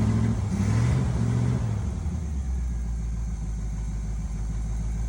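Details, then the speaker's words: 1971 Chevy C10 V8, just started after sitting, new spark plugs: short throttle blip rises and falls cleanly, then low steady idle with no knocks or misses; sounds pretty good. "Well, she actually sounds really good. She actually sounds pretty good."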